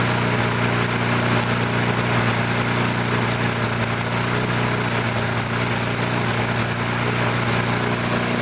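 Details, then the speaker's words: Newer MTD mower after tightening a loose carburetor that had caused surging: steady even drone holding revs with no surging, slight vibration possibly from a bent or dented blade; normal running. "I'll start it up you can hear it run I just tighten the carburetor up in the surging all went away so"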